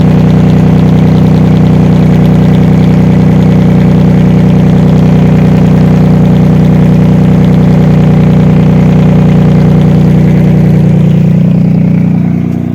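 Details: Mazda Millenia (Xedos 9) supercharged V6, first start after a knocking-engine rebuild, muffler not fitted: loud, deep, even exhaust drone at idle with no knocking; bottom end sounds healthy.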